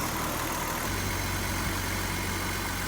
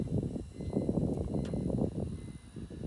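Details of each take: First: BMW 330i, 18 years old, sat nine years, new fuel pump and sending unit, cleaned injectors; running with intake off. Steady even idle with a faint light tick on top; runs smoothly overall, engine sounds healthy. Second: 18-year-old BMW 330i unstarted for years, after new battery, fuel pump and sending unit and cleaned injectors: starter turns the engine over in steady rhythmic pulses for several seconds but it never fires; crank, no start.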